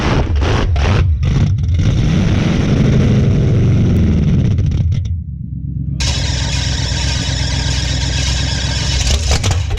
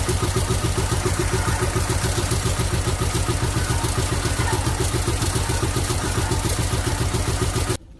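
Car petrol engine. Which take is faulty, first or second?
second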